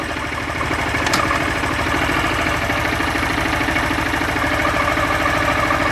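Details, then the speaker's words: Honda Fan 160 motorcycle at only 5000 km: the single-cylinder idles in neutral with a rough, uneven clatter of two or three beats a second that starts with the clutch lever pulled and grows in any gear; the clutch assembly is suspected. "se eu apertar a embreagem, começa a fazer um barulho estranho. No ponto morto. E se eu engatar qualquer marcha, o barulho aumenta."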